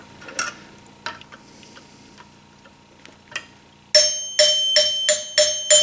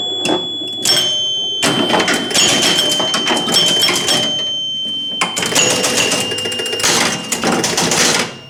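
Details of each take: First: 1974 Gottlieb Magnetron EM pinball three-chime unit: several chimes ring clearly but the hundreds bar sounds dull and short, as it is wobbled out in its worn mounting hole; the bar needs replacing but isn't yet. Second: Rebuilt three-chime unit reinstalled in a 1974 Gottlieb Magnetron EM pinball during play: bright low, medium and high chime tones mixed with rattling clicks and scoring noise; clean and clear, working properly.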